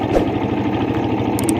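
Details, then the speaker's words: Suzuki Satria FU with dead electric starter, restarted by bridging the fuse directly to the starter, showing starter and fuse fine and fault in the switch wiring: small single-cylinder engine at a quick, even idle, no knocks or misses. "Kalau di sini bunyi berarti masalah ada di jalur daripada switch starter. Nah, ini ya sudah bunyi sekarang."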